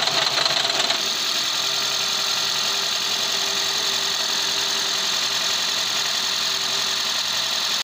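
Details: Toyota Prius C/Aqua hybrid that had a P0171 lean code, check engine light and rough idle after a fender bender, started after the intake was replaced: the engine catches within a second, then holds a steady, even idle without stumbling or hunting; idle sounds healthy.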